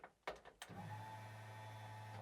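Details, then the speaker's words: Porsche 911 backdate during a steering column and switch swap, battery reconnected: a few clicks, then a steady, even electric hum. The fuel pump is running; it is noisy and drawing too much current, so its relay will be pulled. "okay that's the fuel pump I'm going to turn the fuel pump off or pull the fuel pump relay because that's drawing too much current and it makes a lot of noise"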